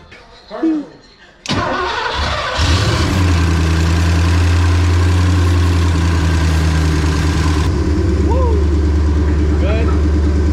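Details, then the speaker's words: Porsche 928 V8 started for the first time in 10+ years, using starter fluid, after Marvel Mystery Oil in the crankcase and Seafoam in the tank: brief crank, then a steady, even deep idle, maybe a little high. Sounds healthy; normal start. "Maybe a little high, but she sounds healthy."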